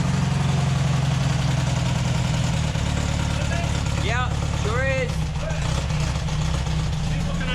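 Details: VW Baja air-cooled engine idling after brake adjustment, gearbox oil refill and clutch fitted, foot on clutch watching rear hub: steady even low thrum, no grinding or dragging; healthy.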